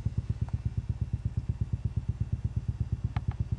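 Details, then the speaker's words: Homemade two-stage electret condenser microphone preamp after a short circuit was fixed, camera close to the speaker: steady deep thump repeating almost three times a second over a quiet background; cause unknown. "Um, let's put the camera right up close to the speaker. You might be able to hear it. Making that thumping noise."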